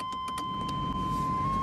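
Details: GMC Suburban with 6.5 L diesel, key on, engine off: steady, even fan whoosh under a constant chime tone; heater blower runs smoothly with no rattle or squeal; blower fan running normally.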